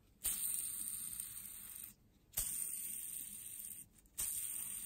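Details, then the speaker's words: Stihl MS 270 chainsaw, old crankshaft bearings removed during motor set replacement, spun by hand: three rough, gritty hissing runs about two seconds each; worn crankshaft bearing noise. "can hear how bad they sound."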